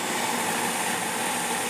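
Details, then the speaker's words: Carrier 92% efficient natural gas furnace, front panel off, running a heat cycle: steady soft rush of air with a faint even hum and no knocks or rattles. The inducer motor runs very quietly and normally. "I just had the inducers very quiet very quiet indeed"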